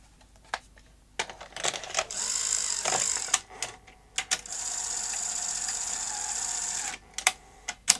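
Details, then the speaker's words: Sony SL-HF900 SuperBeta NTSC VCR front loader after fixing the problem spring and refitting the drive belt: short motor whirs and crisp clicks, even and unhesitating, tape loading cleanly. "okay let's power it up and see if the front loader mechanism now works correctly"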